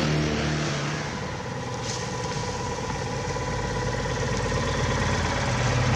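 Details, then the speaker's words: Old Citroën Acadiane bought unseen in Germany, driving after an on-the-spot repair in December. A steady, even engine note at constant speed with no knocks, misses or rattles. It runs smoothly but is slow to gain speed and needs adjustment. "it is running fine now but making speed uh is not going that well we have to adjust that a bit"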